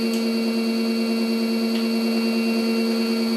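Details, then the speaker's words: Custom high-voltage drum motor, 12-pole, run on a controller programmed for 8 poles, about 569 rpm max: a loud, harsh constant buzz; wrong phase and timing also give poor torque. A correct pole setting would make it silent. "So that's why we're not turning as good, and we don't have the torque and stuff like that. But and it's noisy. You can hear. See, if the pole is right, those motors are totally silent."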